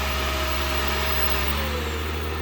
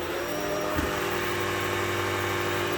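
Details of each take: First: Shark PowerDetect upright vacuum (2024) in detect mode: steady motor hum whose high tone slides down as the motor eases off its automatic boost, with an LED showing boost; normal automatic power change. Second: Shark PowerDetect vacuum moving from carpet onto hard floor in quiet mode with brush roll at full speed; loud steady motor drone with harsh rasping scrub as the spinning brush roll rubs the hard floor, flinging debris back out.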